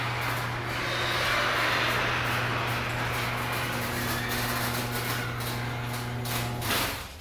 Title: Garage door sounds like a Elephant pt 2